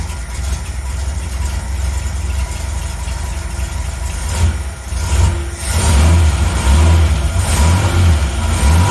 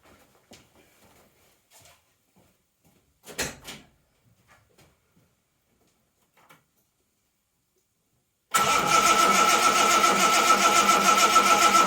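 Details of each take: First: 1980 Reliant Scimitar GTE SE6A that previously cranked but wouldn't start after standing over a month, fired on its own after 10 minutes' rest: deep steady idle with brief rev rises settling smoothly, "she sounds lovely"; normal idle. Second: 1980 Reliant Scimitar GTE SE6A after a month laid up, cranked with the fuel pipe off into a bowl to check delivery; starter cranks steadily about three and a half beats per second but never fires. Spark and fuel later confirmed.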